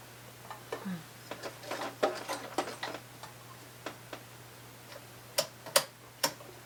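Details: White 999 sewing machine, probably over 40 years old, after more cleaning and oiling: light, crisp needle and feed ticks over a faint mains hum, no grinding or catching. The earlier noise and catchy hand wheel are gone; normal sewing.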